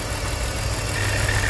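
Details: BMW X3 (2003/2004) with cylinder 3 misfire code P0303: low, uneven shaking idle rumble; the coils were already replaced and the injector is not being commanded by the computer, so the injector or its circuit is suspected.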